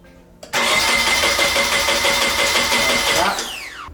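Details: Nissan 240SX S13 being diagnosed on a first start attempt, battery confirmed at 12 volts: the starter spins the engine at an even, brisk rhythm for about three seconds with no firing, then winds down. Cranks but won't start.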